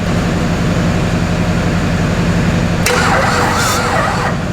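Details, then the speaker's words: Wrecked Duramax diesel swapped into a K20 truck, first start attempt: heavy diesel turns over slowly, about three laboured beats a second, never catching; slow cranking from a weak battery, needs more power (double jump). "we're gonna need a lot more juice boys we need more juice"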